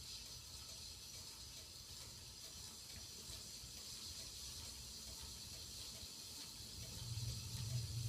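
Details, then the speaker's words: Hunter ceiling fan running on high: steady airy whoosh with a faint regular tick about three times a second, louder than it should be; the cause is unclear and the owner hopes to fix it. "High you can hear it's making a lot of noise"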